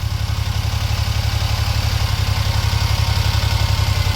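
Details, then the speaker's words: Daihatsu Hijet mini truck after cleaning and reinstalling carburetor, replacing year-and-a-half-old fuel and fitting a new alternator belt: steady even low thrumming idle, no knocks or ticks; quiet, healthy. "All right, so let's start it. It's good. No funny noises."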